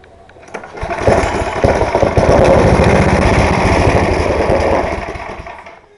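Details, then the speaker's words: Snowblower or small engine with a prior problem of not staying running: started on half or no choke at half throttle, catches and runs roughly about five seconds then fades and dies; stays running only on full choke or at full throttle with no choke. "it's the exact same thing you have it on full choke with uh halfway throttle it's it's like it stays running then when you put on Half choke with a same throttle thing it stalls and then when you put on no joke with the starter like this it's still stalls"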